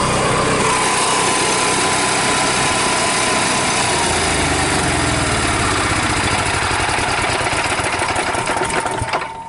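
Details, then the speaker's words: Onan MicroQuiet 4000 generator on a 2007 Four Winds Fun Mover Class C motorhome, cover removed, started from inside the coach: steady, even buzzing drone at constant speed, no surging, knocking or hunting; running fine. "obviously inside is easier when you started here it's typical our own quieter no problem"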